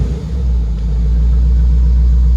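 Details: 1994 Chevrolet Corvette C4 V8 idling, car hadn't been run in a while: deep steady low rumble with even beat, no knocks or misses; normal healthy idle.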